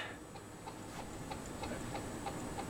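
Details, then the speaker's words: 42-inch Canarm Mystic ceiling fan, early black-motor version, filmed in 2014, running with light on: light squeak repeating about three times a second with rotation over a quiet room; it also wobbles a lot, cause not found. "if you can hear it but very very squeaky okay I'm going to turn this thing off now because it's freaking me out"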